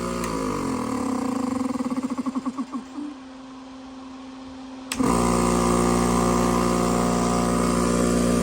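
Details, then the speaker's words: Fluoromizer 3500 refrigerant recovery unit, about 40 years old, after condenser cleaning: a brief quiet stretch, then the compressor restarts at once and settles into a steady, even hum while still suctioning; normal running. Owner suspects the earlier no-start was due to bad electricity. "And hopefully give it another shot. Still sucking, running. Restarts right away."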